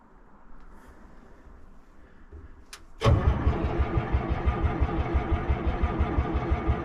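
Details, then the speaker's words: P&H H312 excavator in cold weather, around freezing, after frozen smoky running: loud steady chugging cranking about three beats a second never catches; hard cold start, owner may try ether. "I might have to give it a sniff of ether."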